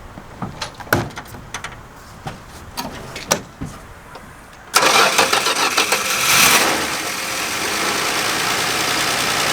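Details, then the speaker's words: Neglected Dodge Dart Swinger 225 Slant Six with single-barrel Holley, revived after stale gas removed and primer shot, started from key: few dry clicks then catches at once into steady even idle, pulling clean tank fuel; sounds great. "Well, that answers the question. Will it run? Yep. It's pulling up clean gas from the tank, which means that our line is good between the pump and the tank. Motor sounds awesome."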